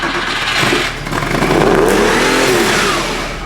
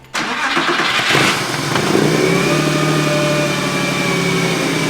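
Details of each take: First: Porsche 911 engine started after being pulled and refitted: revs flare straight to a loud sustained maximum and hang instead of idling because the throttle isn't closing fully; holding it closed makes it sound good, throttle cable suspected. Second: Porsche 911 on first start after its engine was pulled and refitted. It had earlier revved to the max from a sticking throttle cable, so the throttle was held closed. It catches at once, flares, then settles into a smooth, even run with no knocks. Normal running.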